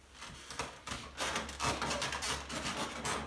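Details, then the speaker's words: Wooden piano bench rocked, giving bursts of creaking, rubbing squeaks as the polyester finish on the leg rubs the side piece because the leg nuts are loose; tightening the nuts fixes it. "I'm Brigham Larson with Brigham Larson pianos and a common problem is a squeaking obnoxious noisy piano bench which this one"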